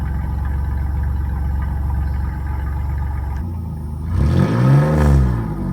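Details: 1997 Chevy Camaro RS, 3.8L 3800 Series II V6, Cherry Bomb Turbo muffler with new turned-down tailpipe: a deep, even idle rumble, then a quick clean blip, no booming drone; outside level barely changed, interior drone gone.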